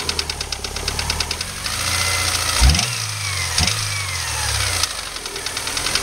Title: s2k engine noise - loading engine in 1st with clutch